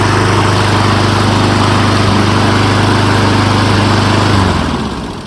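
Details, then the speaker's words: Honda lawn mower after spark plug replacement, plug torqued to 14 lb-ft: small engine idles smoothly and evenly, then is shut off and winds down; the earlier inconsistent idle was fixed, air filter checked clean. "That fixed it. So we're fortunate that was all it was."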